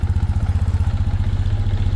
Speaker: Alright guys, so we got it back running now. No fuel leaks. Looked like it was a successful repair.